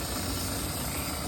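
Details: EccoTemp tankless propane water heater with 12V pump on Eco-Worthy solar, fed from a 20 lb tank, for a Macgregor 26X: flame lit after power on, steady soft roar with faint pump hum; normal burner and pump operation.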